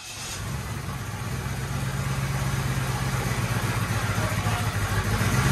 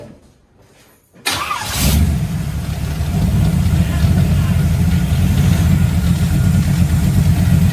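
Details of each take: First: Monte Carlo 350 Chevy V8 freshly rebuilt with Holley hot rod parts, cold garage start: uneven, lumpy idle that doesn't settle, smoking; ignition timing out of adjustment, distributor and choke later tweaked. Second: Monte Carlo with a 350 Chevy V8 hopped up with Holley parts, after choke and distributor adjustments, exhaust still untouched: it starts and settles into a steady, deep, even rumble with no misses or knocks.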